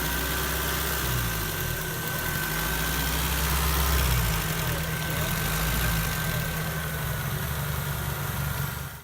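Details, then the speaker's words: Warm idle on a 1991 Honda CRX 1.6 Si (fuel injected) slowly climbs then drops back, hunting; ongoing problem. Idle normal with throttle-body vacuum hose disconnected; ECU code 5 points to ECU or MAP sensor, not confirmed. "after the car's fully warmed up the idle will increase and then drop back down and it's been happening for a while now"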